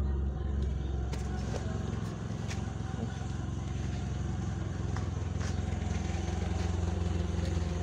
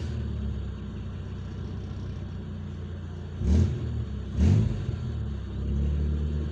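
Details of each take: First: DX car on LPG with a Wingas regulator: steady low idle drone holding an even beat with no hunting or surging; stable. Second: DX car on LPG with a Wingas regulator, warm at about 59–60°C coolant: with the regulator vent sealed tight, idle surges unevenly on throttle blips and won't settle because the membrane is upset; fix is drilling a vent hole.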